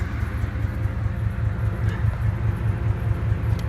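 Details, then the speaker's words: SN95 Ford Mustang cold-started in sub-freezing weather: a deep, rough idle with a steady low puffing pulse about 2.5 per second. It is an exhaust leak, with exhaust escaping through an open sensor hole. "so I'll go ahead and start it up and see the stars I'm starting about week and a half so yeah you can probably hear the hear the exhaust leak"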